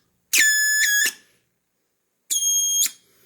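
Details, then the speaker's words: BITX40 transceiver rebuild at first power-up; two sharp, shrill tone bursts of wild oscillation from the audio amplifier. The owner suspected the wrong speaker and noticed a bad smell. "okay well i heard something out of the speaker that's a wild oscillation"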